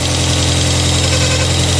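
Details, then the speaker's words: 1997 Rover 200 vi just after head gasket replacement, some correct bolts still missing: steady even idle with a smooth low hum and no knocks or misses; engine running cleanly. "other than that hey all right we've got a running 200vi this is properly exciting"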